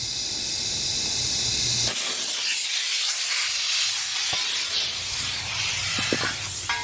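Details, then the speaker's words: Dodge Caliber SRT-4 boost leak test at 10 psi with the engine off: a steady loud hiss of escaping air; owner suspects the throttle body to intake manifold gasket; boost leak hiss. "You can hear it, right? Pissing out somewhere. Maybe it's my intake manifold."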